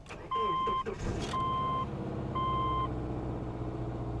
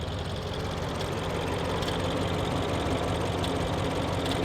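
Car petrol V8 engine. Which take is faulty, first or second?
second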